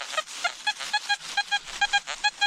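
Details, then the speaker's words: Metal detector at a home site in an old coal mining town; quick chirpy slightly uneven beeps near one kilohertz, about five a second, as the detector tries to lock onto a high-tone target; good high-tone target signal. "see how it's trying to lock onto that that uh High Target so I'm getting a good signal right here"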